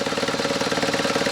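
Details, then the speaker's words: Recently bought BMW R1100RT boxer twin restarted after its oil was topped up: even, quick exhaust pulses about nine a second, quiet engine with no noises, grinding or knocks, exhaust a bit loud; healthy idle. "И еще разок запускаем. Хорошо, моторчик работает. Довольно тихо. Выхлоп шумноватый."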